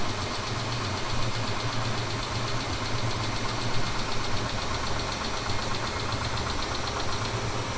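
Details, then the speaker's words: Steady idle on a 2000 Mitsubishi Montero Sport with a faint light knock that comes and goes after the initial 3-4 minute cold-start knock has stopped; quieter than at first, cause unknown. "Итак, стук прекратился, но сейчас он может появиться снова, хотя и не так громко, как сначала, но он всё же присутствует."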